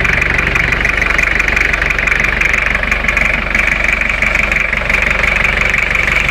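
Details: Toyota 2L-T diesel at idle with blow-by check: steady even clatter, no misses or knocks, all seems well.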